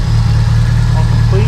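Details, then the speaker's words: Subaru STI with cams and ABCs, updated tune, brand-new quiet Q300 exhaust, before cam break-in drive: steady deep idle with a mild rhythmic lope, smooth otherwise; running well, normal idle with slight cam lope. "so this thing is running amazing now you can hear has a little bit of a woke to it which i'm kind of surprised with having abcs but it still has a little bit of a look"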